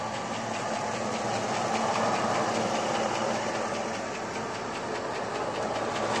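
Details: 2002 Chevrolet Avalanche 5.3L LS V8, fully warmed up, idling at about 500 rpm with oil pressure over 50 psi on 30-weight oil, new Comp cam, hydraulic roller lifters and trunnion rockers: fast sewing-machine tick, three to four per second, over the exhaust. Noisy valvetrain, cause unconfirmed.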